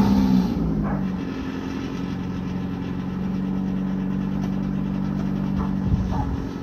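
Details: 1995 Ford Escort wagon, old exhaust before replacement: loud, raw, unmuffled drone with rough low rumble and blatty pulses; only the engine-mounted cat muffles it, a six-to-eight-inch hole between cat pipe and rest of exhaust.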